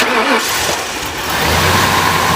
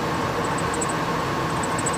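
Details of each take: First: 1998 Ford Expedition, a former police SUV, after replacing the idler pulley, both belt tensioners and the serpentine belt: steady, even idle with a smooth belt drone, and the earlier chirp under the hood is gone. Normal idle. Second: 1998 Ford Expedition ex-police SUV idling: high bird-like chirps in quick clusters from under the hood, a dry idler pulley bearing.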